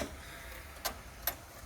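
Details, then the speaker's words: Sony U-matic video deck being digitized: a few sharp mechanical clicks about half a second apart, then nothing moves; the deck tries but the tape fails to eject. "look at this look this is what I'm talking about okay eject that and it won't"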